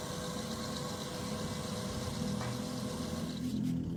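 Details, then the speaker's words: Automatic washing machine converted to manual with a timer: steady wash-motor hum, even note, no knocks, scrapes or stalls, agitating back and forth; wiring correct, wash motor running smoothly. "Timer kita hidupkan. Kita lihat dinamo ya, sudah bunyi. Nah, kan jalan. Bolak-balik ya."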